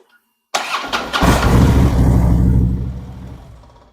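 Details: Harley-Davidson Street Glide after Screamin' Eagle compensator upgrade and primary case reassembly (earlier hot-start issues and strange noises): short crank, catches at once, settles into steady, even lumpy idle; starting, charging and clutch all good.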